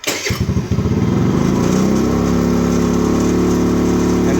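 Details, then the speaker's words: Icebear Maddog 50cc two-stroke scooter on an electric fuel pump catches with a few sputters, then revs up and hangs high once warm, holding about a 4,000 rpm idle instead of settling; unstable warm idle, cause not confirmed. "see how the the RPMs kind of hang for a minute know idle's fine nope yeah now it's getting warm so now I don't even want to hold an idle"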